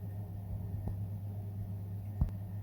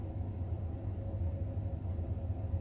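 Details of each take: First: Baxi Combi 133 HE Plus boiler: pump runs steadily, ignition clicks and gas valve opens but burner never lights while fault codes flash briefly; diagnosed as faulty PCB, repeated failed ignition attempts before the replacement board is fitted. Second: Baxi Combi 133 HE Plus combi boiler after replacing the faulty PCB (board fault code): fan and burner fire up with steady low rumble and even fan hum, no red light; normal burner operation, fault fixed.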